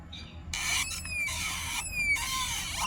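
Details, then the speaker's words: Yamaha NVX scooter just fitted with new CNC sport rims, riding: high chirping squeaks about once a second over the engine drone; owner suspects dried grease on the wheel axle, a rubbing sound, and is heading to a workshop. "Sebab dia bunyi tu macam minyak grease kering. Macam tu lah. Macam minyak grease kering dekat batang tayar tu kan."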